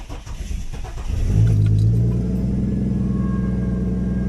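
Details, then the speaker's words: Jeep Cherokee XJ with a Ford Barra 4.0 turbo conversion, after connecting the forgotten ECU wire: a brief crank, then it catches cleanly and settles into a steady, even idle with a firm low hum. It is quite noisy but everything works and oil pressure shows. "everything's working so I'm going to turn it off cuz it's quite noisy"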